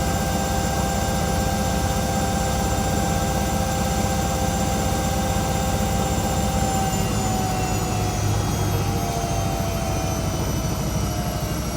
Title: Washing machine sounds like a jet engine 🙈